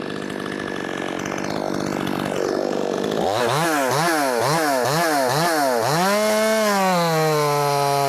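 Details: Brand-new, unbroken-in Wemars 6220 clone chainsaw, carb leaned slightly from very rich factory setting: quick rising and falling rev blips, then a clean high scream bogging slightly into the wood and holding steady; strong, healthy saw.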